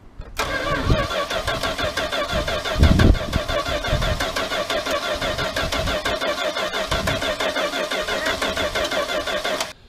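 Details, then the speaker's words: 1979 Dodge D100 Adventurer pickup cranking on a replacement starter: engine turned over slowly and laboriously, each compression stroke drawn out; starter winding too slowly, so being changed a second time. "And anyway, it worked, but it was actually winding the starter over slower"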